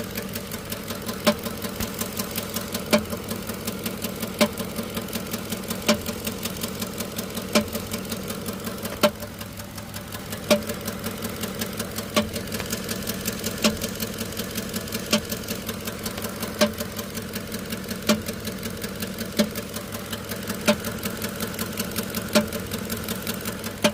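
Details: 2009 Ford F150 after plugs and coils replaced, still misfiring on cylinder 6: sharp metallic clank about every second and a half over idling engine with misfire.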